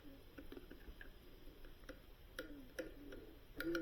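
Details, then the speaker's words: Northland NM13A refrigeration module, GE-type shaded-pole clockwise fan motor run out of the unit: irregular light ticking about two clicks a second from a worn bad bearing; could be oiled but customer wants it replaced. "hear that it's got a bad bearing in it I mean we could just oil it but customer wanted it replaced"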